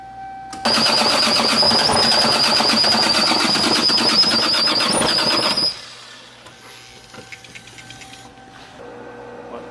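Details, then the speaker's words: Single-turbo 2JZ Supra build with newly installed clutch, first start: sharp, even knocking about three to four per second over the running engine, first suspected as transmission; the new clutch is rubbing the bell housing (Collins kit instructions not followed, needed grinding). "Wasn't that a knock? I think it's tranny shit. It has to be tranny stuff. I don't know. It just sounds weird."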